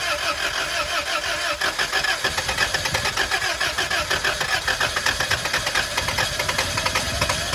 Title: 99 prerunner hard start/long crank